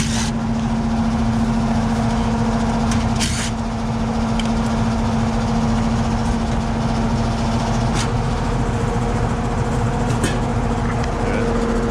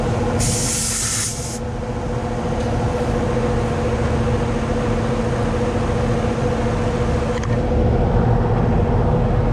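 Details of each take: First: Carrier central AC on a no-cooling call (80°F room, set to 71) at the outdoor condenser: steady fan whoosh and low hum with no compressor joining in. The compressor won't start because the 70 run capacitor is swollen and bad. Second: Carrier AC condenser after run capacitor replacement and contactor rewiring: steady compressor hum with a constant low tone and fan rush, no knocks or rattles. The compressor is running normally after the repair.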